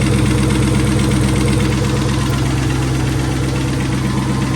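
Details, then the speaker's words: Ford Mustang SVT Cobra Terminator warming up before a compression test, mic near the driver's side valve cover: faint, fairly even tick about two per second over idle; owner suspects a tapping lifter. "I don't know if you can hear the tapping sound, but it seems to be coming from the driver's side."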